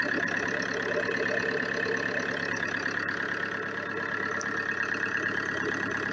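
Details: Opel Insignia 2.0 CDTI diesel after replacing a seized engine and a damaged crankshaft pulse sensor: steady, even diesel clatter at idle, no misses or knocks; engine holds a smooth, settled idle after repair.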